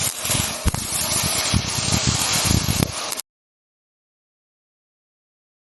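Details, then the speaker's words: MIG welding arc with hissy crackle and slow, uneven plopping, machine struggling: voltage too low (or wire speed too high); fix by turning voltage up until a steady buzz. "How do you know if voltage is right? Go back to the listening test. Sharp sputter frying bacon too hard. Turn voltage down. Slow plopping machine struggling."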